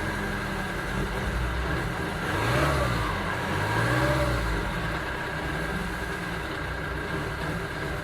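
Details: 2009 Ford Transit Sport diesel at idle and revving: uneven, lumpy idle beat and rough pickup as it revs; engine misfire.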